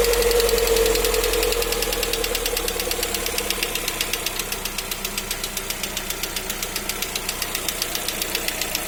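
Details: Lada Vesta, new car at 575 km, light regular knock about four per second over the running engine during break-in; dealer says nothing serious, normal for running-in until 2000 km; cause not pinned down.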